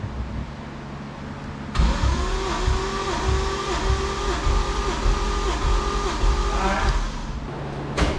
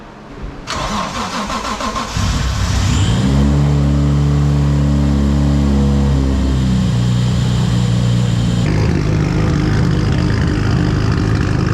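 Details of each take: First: Right-hand-drive MK3 Supra 1JZ, sat two years, smoking, burning oil, running rough, with fuel-flooded plugs, cranked with throttle floored for a compression test: steady, even five-second cranking beat, no weak strokes; compression good. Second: Right-hand-drive Mk3 Toyota Supra, twin-turbo 1JZ, sat 2 years, smoking and burning oil, one turbo said to be bad: starter whirr, then fast lumpy uneven idle; rough running from fouled plugs and flooding.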